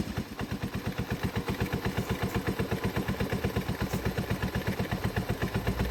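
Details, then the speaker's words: 1984 Honda ATC 125 in neutral after a carburetor swap and fuel tank flush, having probably sat a long time. The single-cylinder putts along at an even beat of about four pulses a second without stumbling; normal healthy idle. "she is idling I don't know how long she sat before she ran I'm guessing a good while but I said I don't have a story on it"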